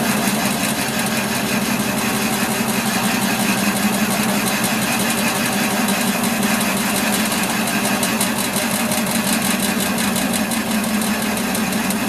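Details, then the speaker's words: Warco lathe facing a cast-iron block in the four-jaw chuck: steady harsh scraping cut with uneven rubbing edge because the tool sits too high above centre; stopped to reset to centre height. "you see already that my soul is way too high on his cut I'll just stop there and get my to light on center"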